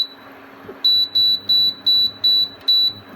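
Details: Ambiano single induction hob (Aldi) with 10 temperature settings: six sharp, high, identical beeps at about two per second over a quiet room, each a key press confirming a temperature setting change.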